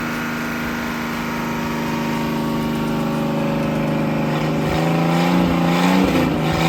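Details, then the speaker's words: 1956 Graymarine 100HP Continental F226 marine engine after fixing no oil pressure by driving the misinstalled #3 cam bearing into position and cleaning the carburetor; runs steady then picks up speed smoothly with even firing, no knocking, sounds healthy. "but all on ain't bad sounds good she'll live again"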